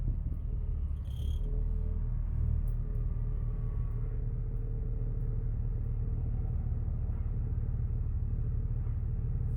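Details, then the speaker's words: Jeep Wrangler after throttle body cleaning, which fixed a rough idle that revved every five seconds and made it creep forward at stop signs: a low, steady rumble holds an even idle for ten seconds with no surging or hunting. "just clean the throttle body you have to take it all out clean the throttle body it's not doing the used to make my car jump and stop signs like every five seconds it rev and the car would inch forward"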